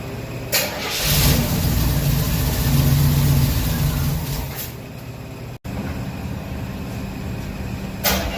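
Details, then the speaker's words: Stored Chevy V8 after a first-time Quadrajet carburetor rebuild: cranks and fires into a low, slightly uneven idle that sags and wavers; the faulty rebuild sent fuel into the vacuum and emissions lines throughout the engine bay. "gas all right well rebuilt the carburetor and since it was my first Quadro jet that I've ever rebuilt it didn't go so good well uh I did something not right it sent fuel into the vacuum lines and pumped it through the emissions lines throughout the whole engine bay"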